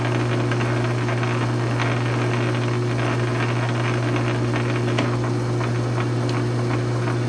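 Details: South Bend 9-inch lathe converted from Model B change gears to Model A quick-change gearbox, slow test thread cut; smooth steady gear hum at constant pitch, no knocking or grinding, thread pitch correct: normal gearbox running.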